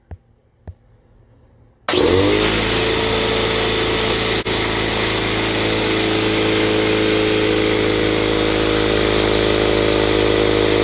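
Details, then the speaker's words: Free air compressor that wouldn't turn on, after replacing the pressure switch with a universal Lefoo LF10A-4H: click, motor kicks on, steady even buzzing drone with fast pump rhythm; runs normally. "even though the compressor turned on it did take a series of adjustments to get it to the right parameters that i wanted"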